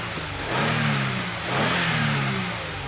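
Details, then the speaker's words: 2008 Toyota Avalon 3.5 L after cylinder misfire repair: engine starts and idles smoothly, takes two quick even revs without stumbling or shaking, and the check engine light went off by itself; misfire fixed. "so as you can hear the engine is running the engine sounds good our check engine light went off"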